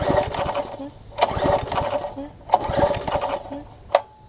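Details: Troy-Bilt Tuffy rear tine tiller with a new carburetor diaphragm (possibly not an exact fit), exhaust and intake tube refitted: short sputtering bursts roughly every second and a half, each dying within about a second. It catches but starves of fuel.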